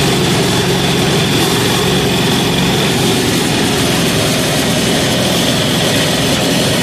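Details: 186FA single-cylinder diesel restarted on diesel after running on synthetic blend 10W-30 motor oil as fuel: even, steady chatter with no knocks or misses. It is idling normally.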